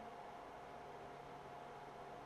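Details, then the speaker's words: Heard from the CPU side of a small Steam Machine-style PC build under load, mostly the CPU fan, a bit louder than the GPU side; steady airy rush with thin constant tone near 700 Hz, no rattle: loud fan noise. "So, we're mostly hearing the CPU fan on this side. It's a bit louder."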